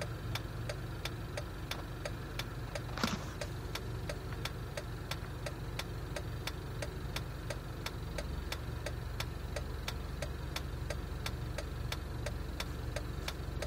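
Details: Jeep at idle: sharp, even ticks at about two a second over a low, slightly uneven idle; rough idle, cause not yet clear.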